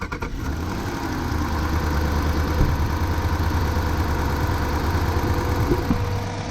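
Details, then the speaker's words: 2011–2013 Jeep Grand Cherokee HEMI V8 with code P0205 idling rough with visible shake: cylinder 5 misfiring. The injector is to be removed and checked. "can see that there that is going you can see the engine shake it's misfiring obviously you don't want to go too long"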